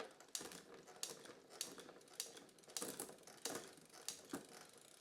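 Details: Trek bicycle rear derailleur after realignment from a knock and limit/B-tension adjustment, large sprocket jumps: crisp single clicks about every half second as the chain steps across sprockets, no chatter or rubbing; clean gear shifting.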